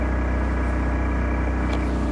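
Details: Onan 2500LP propane generator in a truck camper, cold started after 25 days unused and primed, heard from inside the camper: steady even drone, running normally.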